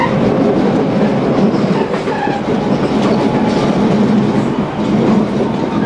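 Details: Tobu 20000 series car MoHa 24803 with AFE chopper control, recorded inside the car on the Tobu Skytree Line between Kasukabe and Kita-Kasukabe. A loud rolling roar at running speed carries an uneven thumping that comes and goes. Wheel flat.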